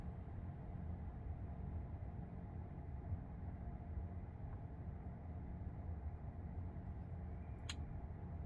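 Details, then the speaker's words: 2021 Tesla Model 3 cabin: single sharp tick over low hum, repeating every few seconds for a couple of minutes after startup then stopping, seemingly from door speaker/tweeter; owner suspects electrical ground issue, possibly AC-related expansion; intermittent electrical tick. "So it almost sounds like an electrical tick, like there's some kind of a ground issue or something, and when some device turns on, it's ticking in the speaker."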